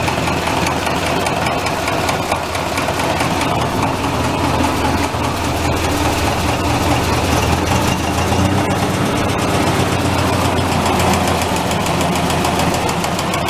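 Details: Massey tractor diesel after fuel filter change, oil bath air filter cleaning and replacing a cracked leaking line: deep clatter at steady, even idle with no stumbling or surging; healthy.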